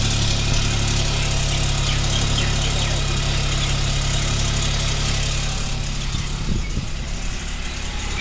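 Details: 2021 Hyundai Venue SX(O), about 5,500 km, steady low idle hum after cold start with a faint metallic rattle on top; source unknown, service center declined to address it.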